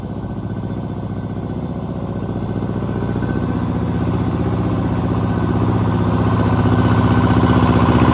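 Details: Power Pony with a two-cylinder Perkins diesel, running after fuel system bleed (suspected run dry, petcock off): steady, even chug about four beats a second, firming slightly as it warms; normal running.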